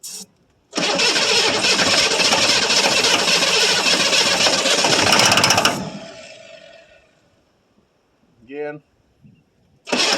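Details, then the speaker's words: 1982 Chevrolet Silverado K10 4x4 with 6.2 L diesel, cold start after sitting about 22 years, open exhaust: harsh, very loud clatter for about five seconds, then it winds down and stops. It runs on starting fluid only; the owner suspects it is getting no fuel yet. "Well, she runs. I don't think she's getting any fuel yet, though."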